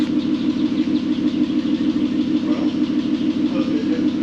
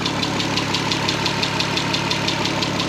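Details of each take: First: VW R32 first start after 10 years sitting and a correctly redone timing chain: even, smooth idle pulsing about three times a second, no knocks, though a slight ticking is mentioned as possibly needing adjustment; normal idle. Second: VW R32 first start after 10 years sitting and a redone timing chain: light, even tick about three times a second over a smooth idle; owner thinks it may need adjusting, source unconfirmed.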